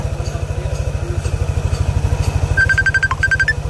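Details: Yamaha Aerox scooter after CVT replacement with standard bell: even steady idle pulse, belt smooth with no flap or shudder, brief electronic chirp in background; normal CVT operation.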